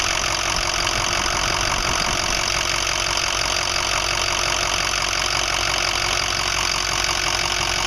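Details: 2005 Ford 6.0L Powerstroke diesel, 80–100 miles after reman injectors, new fuel pump, filters and oil: steady idle with rough, uneven clatter of about 160 knocks a minute, getting worse; owner suspects harness, FICM or injectors, not confirmed.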